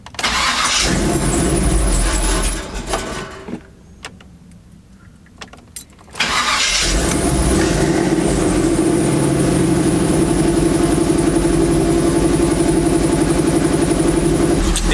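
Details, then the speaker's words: Truck engine idling while warming up, with the thermostatic fan switch in the intake manifold not yet hot enough to kick the fan on. After a cranking start the idle has a loud, raspy, droning exhaust note; a worn-out muffler the owner plans to replace soon. "so my muffler sounds so terrible now I got it I have to do something about that soon because there's no aggravating me"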